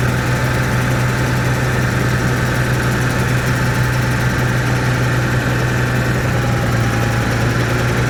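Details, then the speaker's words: Caterpillar 3306 that wouldn't carry load, idling low and uneven with a stumbling, popping beat; pulling number six plug wire changed nothing, so cylinder six is dead. "so I can I can hear it's it's missing right now sounds like it has a valve or something it's popping"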